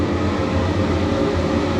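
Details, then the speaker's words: Mixing room extraction fan in a new paint workshop, described as quite noisy. Loud, steady low hum and rush with no rattle, scrape or wobble: the fan is normal, just noisy. "So, the mixing room, one thing the mixing room extraction is quite noisy, so I don't know how well it's going to sound on camera, but I'll show you anyway."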